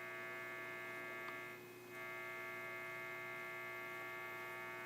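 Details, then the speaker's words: Vintage television warming up: steady low buzzing hum with overtones from the set's speaker, plus crackle, with a raster appearing; cause not traced, possible arcing somewhere below suspected. "crackle from the speaker. Got some hum of the speaker and a bit of a raster coming in."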